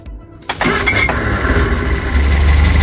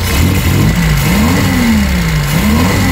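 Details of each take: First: Eddie Stobart Reliant Supervan after carburettor clean, warm engine started on the key only, no throttle or choke: short crank, catches within half a second and settles into a steady, even idle. A clean warm start. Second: Reliant Supervan revved after slight carburettor adjustment. Revs rise and fall with a slight stutter on the way up from fuel starvation. The owner suspects a crushed fuel pump pipe is restricting fuel flow.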